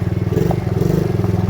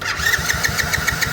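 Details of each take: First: Small ATV that had been sitting and wouldn't stay running, now started with brake engaged: single cylinder pulses fast and evenly under light riding load, no misses or knocks; normal running. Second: Kayo small ATV that had been sitting, won't start: starter turns the engine at a steady rhythm of about seven beats a second but it never fires; cranking no-start.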